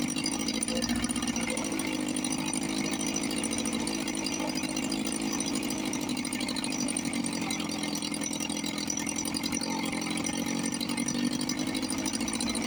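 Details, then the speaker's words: 1954 Johnson 5.5 hp two-stroke outboard running in a test tank after about 60 years, with magneto reinstalled, carburetor rebuilt and a heavy oil mix, cover off. Steady, even crackling buzz with no misses or knocks. Normal running. "But I always come back and I get control of myself and I get them going. This one sounds really good."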